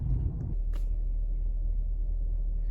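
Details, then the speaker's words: 2007 Chrysler Town & Country petrol V6 idling smooth and even with no stumbles, after a couple of miles' drive following ignition coil pack replacement that cured a P0303 misfire; normal. "all right I just ran for a couple miles it feels really good as you can see I'm idling right now and it's very smooth it actually runs a lot better than it did before"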